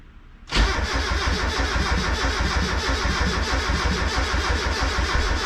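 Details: Turbo Miata first start attempt, clutch in: steady cranking thumps about three a second for five seconds without catching, with the gauge reading lean. A coil connector was not fully snapped in.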